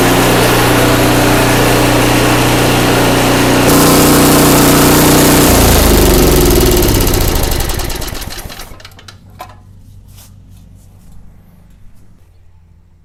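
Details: Craftsman 5/24 track snow thrower single-cylinder engine after carburetor cleaning: runs steady and even for about eight seconds, then winds down and stops; healthy running.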